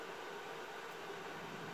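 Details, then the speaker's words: Empty NetApp DS4246 disk shelf with two PSUs, no drives, drawing about 36 W at idle after start-up: low, even airy whoosh with a faint steady hum and no surging or rattles; the fans have settled to quiet idle speed. "but you can hear it's quiet and down beautifully now"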